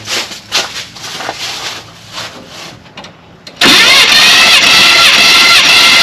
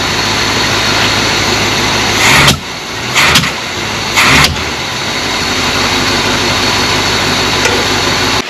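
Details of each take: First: 1978 Chevy C20 4wd small-block 350, about 45 years old, cranked for compression test with throttle and choke held open and no spark: steady even rise and fall each stroke; cylinder 1 at 165 psi, healthy. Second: 1978 Chevrolet C20 3/4-ton 4WD pickup with a 350 small block, running poorly and lacking power, with no known history: rough idle, and with any throttle it coughs then backfires through the carburetor in sharp pops. Cause not yet found.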